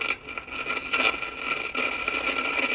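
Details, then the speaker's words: GE Model 403B tube clock radio, mid-1960s or earlier, before repair; harsh crackling static surges irregularly over the station even at low volume, not changed by the volume pot; owner suspects an intermittent IF can; cause unconfirmed. "what I've been telling people it's like an intermittent if can problem I believe it does it with the volume all the way down you can kind of hear it it does it every once in a while"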